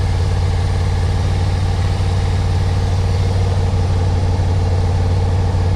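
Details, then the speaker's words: 1991 Yamaha Venture Royale after revival and warm-up, choke turned off: smooth steady low rumble holds at idle without missing or hunting; revs up fine, carbs seemingly not too dirty; normal idle. "all right so I'm going to turn the choke off yeah running without the choke that's really good sign"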